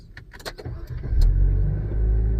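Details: 2015 Nissan Juke F15, warm engine, after a no-crank starter problem: clicks, then engine fires in about a second and settles into a steady even idle; clean start, fault was the starter itself.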